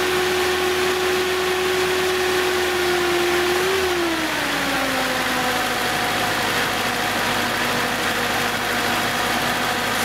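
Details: 1970s Datsun starting on its rejuvenated 6.5-year-old 12 V battery (12.476 V after resting overnight): engine revs, then the pitch eases down and settles into a smooth, even idle with no stumble; running healthy.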